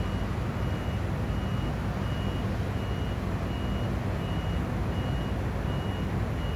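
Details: Crane standing idle after driver returned: high beep repeating steadily about every three-quarters of a second over low engine hum; continuous warning beeping, cause unknown.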